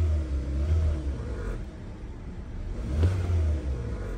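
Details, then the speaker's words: 2016 Kia Soul with P0300/P0303/P0304 misfire codes, codes cleared, restarted; two quick smooth revs climb and fall cleanly without stumble or popping, accelerating well. "La abrimos prendemos el vehículo es muy pequeña y hay ahí el vehículo acelera bien"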